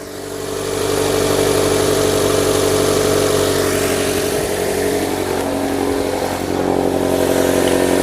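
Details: 2005 Nissan Altima 2.5L 4-cylinder just after a valve cover swap plus new spark plugs and coils (oil was leaking into plug tubes): catches and settles into a smooth, even idle with steady low hum, no stumbles; repair confirmed.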